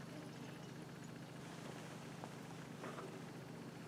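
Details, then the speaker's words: Craftsman lawnmower after clearing an air block in the fuel line and refilling it with gas: a steady, low, even engine drone with no stumbling or surging; running normally. "Okay, now that sounds more like it."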